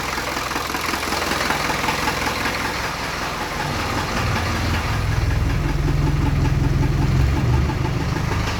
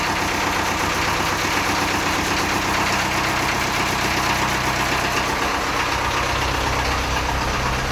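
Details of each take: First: Land Rover 2.25 diesel started cold after sitting a month, out of gear: it clatters at a slow, lumpy idle that has sagged low, then picks up when raised on the hand throttle. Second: Land Rover 2.25 diesel idling after a cold start following a month of sitting, idle raised on the hand throttle. An even, steady clatter with next to no smoke. Normal diesel idle.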